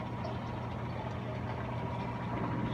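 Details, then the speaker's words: Whirlpool Duet front-load washer on its first (not final) spin with 28 minutes showing: steady low hum, faint even whir, no knocking or scraping. Normal, smooth spin. "Alright, 28 minutes. It's on the first spin cycle, or not the final spin, but the first cycle of my machine."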